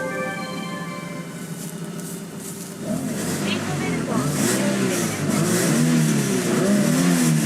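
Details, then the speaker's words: 1999 Toyota Altezza RS200 Z-Edition Japan import, belt-driven supercharger with aftermarket air filter, sound heard through the filter in the engine bay: a loud warbling whine rises as it comes into boost. Broken supercharger or slipping belt suspected; it goes away with the supercharger air-bypass switch pressed. "and so there is a an odd sound on this one when the supercharger comes into boost and I don't know if this is a broken supercharger on it or if it's a slipping belt which is a thing on the supercharg cars"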